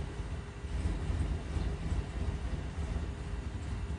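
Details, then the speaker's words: 2008 GMC Yukon V8 cold start after sitting overnight: deep, uneven, sputtering idle that falters and stalls, normal only after warming 25–45 minutes; misfire tied to a Bank 2 Sensor 1 HO2S short circuit. "شوف الحين بدأت المشكلة، شوف. يبدأ تفتف."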